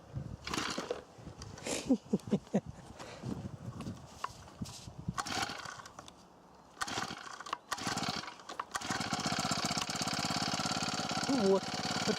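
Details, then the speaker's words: Akita trimmer with four-stroke Honda GX35, fourth season, cold start after priming and choke: a few pull-cord tugs, then catches and settles into steady fast run; original spark plug, nothing changed, starts easily. "на холодную она так заводится. Свечу я не менял, ничего не менял здесь."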